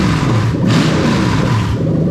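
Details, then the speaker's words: Lexus LS430 3UZ-FE VVT-i V8, automatic, first start on a brand-new engine harness; deep rumble rises smoothly under a quick blip and settles back evenly with no misses or stumbles; normal rev response. "That's all good."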